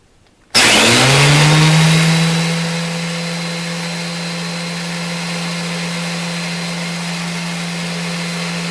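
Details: Dewalt 733 planer after repair for feed hesitation, with stiff chain links soaked in oil and a longer UHMW tensioner pushing up on the chain: motor spins up with a loud rising whine, then a steady even hum with no knocking or stutter; runs normally.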